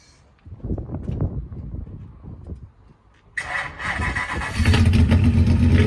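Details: Ford Focus project car with twin-turbo V8, first start after fitting custom stainless steel TIG-welded exhaust; starter cranks about three seconds, then lumpy uneven idle stumbling now and then, a misfire.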